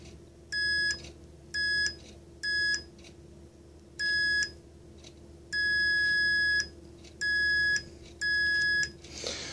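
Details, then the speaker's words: 1994 Mercedes E420 non-ASR throttle body, bench test after wire repair: seven clean high multimeter beeps, one per press of the idle switch, over room hum; switch previously not activating, now closes properly. "so it does engage this is very good that's what needed to be done because it was very free it's was not activating at all so now it does activate"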